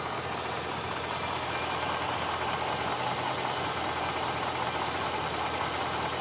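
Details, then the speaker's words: 2006 Chevrolet Silverado Z71, reported for a clunk when stopping and a noise under hard acceleration, idling partly warm: steady, even hum with a faint airy hiss, no knocks or rattles; nothing alarming heard. Normal idle. "I'm not hearing anything too alarming"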